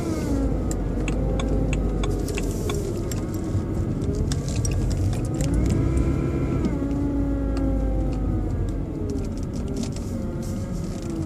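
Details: BMW 120i E87 running: thin whirring motor-like whine rising and falling with revs, seemingly from behind the airbox; oil change did not cure it, cause unknown.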